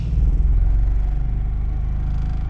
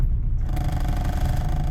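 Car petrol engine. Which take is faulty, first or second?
second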